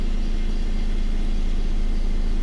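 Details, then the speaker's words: Honda Civic after a head gasket replacement. Steady, even idle with no knocks, misses or hiss. Coolant temperature is good and there is no exhaust smoke anymore. Normal idle. "Everything's idling right. And it doesn't even smoke."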